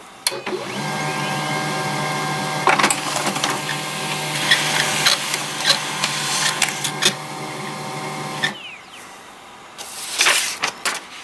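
A high, steady squeal rides over the whirring and clicking while it runs, then stops when the mechanism halts; something in the drive is squeaking.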